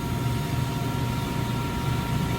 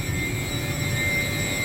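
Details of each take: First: York YK water-cooled centrifugal chiller close to stall, which comes before surge: steady low drone with a slightly uneven, pulsing roar and a high steady tone. Tower fans kept dropping out on automation transfers and were manually ramped to 100%. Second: York YK water-cooled centrifugal chiller, normal running: steady high-pitched compressor whine over an even rush of airflow, no knocking or surging.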